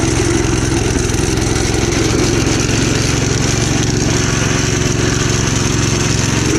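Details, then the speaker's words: Gravely Commercial 12 34" Snow Cannon snowblower, cold start after about a month unused, full choke: uneven, labouring chugging at about four beats a second; possibly fuel starvation. "I think it's starving out of gas or something"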